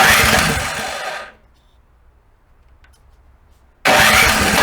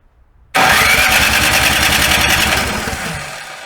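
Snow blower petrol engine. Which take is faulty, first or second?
first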